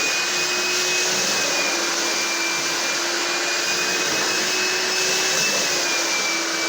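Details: Found, slightly rusty carpet cleaner that previously would not draw water, now running with the pump on: steady high-pitched motor whine with rushing airflow, unbroken; working, owner suspects a small blockage or trigger connection issue caused it.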